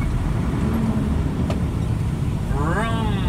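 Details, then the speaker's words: Nissan UD diesel truck at steady idle, then a sharp throttle blip far beyond the needed rise from about 1100 to 1500 rpm to get the gear: over-revving during a gear change. "so you see people doing this they have to rev it like this"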